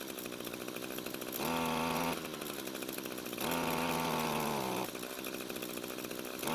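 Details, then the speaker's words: Echo string trimmer, long unused and possibly stored in a barn: catches and revs in short bursts, then sags and dies each time, even with choke moved halfway; starving for fuel, won't keep running, carb to be gone through. "so what you just saw me do was to move the choke to halfway in an attempt to see if more fuel and less air would help it out but it didn't"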